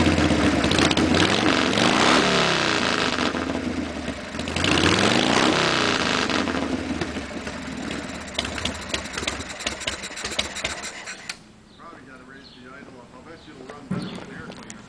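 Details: 1952 Harley Pan-Shovel V-twin, first start after motor rebuild, run on half a 3.5-gallon fat bob tank; fires up, revs a few times with loping, even beat, settles and runs cleanly with no knocks or misses: normal running.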